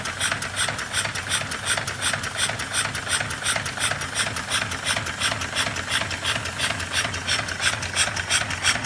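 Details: Live steam locomotive chassis on its first full air test (cylinders and valve gear done, exhaust unfinished): crisp, even chuffs at about three per second with a light mechanical clatter; the cylinders run smoothly on air.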